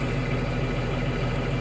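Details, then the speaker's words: Spare diesel bus idling with parking brake on, regen light and high exhaust temperature indicator lit: even, rhythmic idle with steady low pulse, no knocks or misses; normal exhaust regeneration, shouldn't shut down. "all right so it's just doing a regen so it's a good idea not to shut down"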